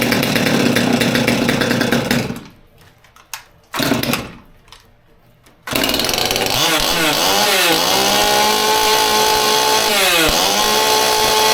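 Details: Old Stihl MS200T top-handle chainsaw that idled fine but wouldn't rev up, now reassembled after teardown with the fuel line replaced (suspected cause) and started on choke: screams at high revs, dips briefly, then revs up and down cleanly without bogging; running healthy.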